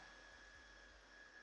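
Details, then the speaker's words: Electric motor on Hobby King Galloping Ghost RC park flier, run up in stand after work that removed earlier loud vibration: quiet steady high whine, even pitch, no buzz or rattle; motor and bearings sound healthy. "as you can hear though there's no vibration at all so it's actually really good the motor sounds good the bearings sound good it doesn't sound all grindy or crunchy or weird"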